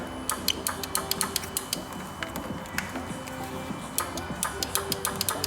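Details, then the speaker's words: 2014 Ford Explorer 3.5L, engine off, bank 2 intake oil control valve powered on the green wire and grounded through yellow: sharp, crisp clicks in quick bursts, clean and solid; the solenoid actuates properly, unlike the exhaust valve, which stops clicking. "Yeah, that's got a nice positive, crisp click."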